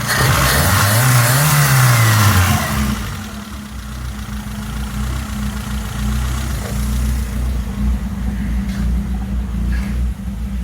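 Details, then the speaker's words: 1987 Toyota Tercel 4WD with swapped 4A-C carbureted engine, first start after setting distributor timing: rev falls away into a low, uneven, wavering idle; carburetor still needs tuning. "but she's running, not idling the smoothest right now. I still need to tweak with some settings in this carburetor, get things dialed in a little bit better, but she's running."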